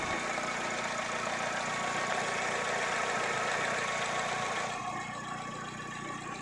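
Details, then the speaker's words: Chevrolet Spark petrol engine after a no-start repair (cut ignition coil wires soldered to prevent loosening and misfire), idling: an even, quick rhythm with no stumbles; a steady, clean idle, running normally. "गाड़ी start करके देखते हैं अभी और हमारी गाड़ी स्टार्ट हो गई"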